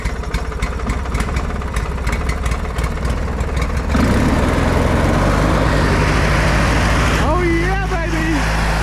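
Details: Older Briggs & Stratton Sentinel by Murray ride-on mower, bought non-running, after starter motor drive gear repair: cranks, catches at about four seconds and settles into a loud, even run with no misses or knocks.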